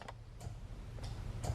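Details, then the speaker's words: Salvage Corvette, horn disconnected and battery reconnected: about five crisp dry horn-relay clicks, one per horn press, relay switching normally; yet with horn connected it blares constantly, so owner suspects a wiring fault. "relay is clicking this is when I start to get a little bit crazy because things seem to be working as they should when I hit the horn the relay clicks"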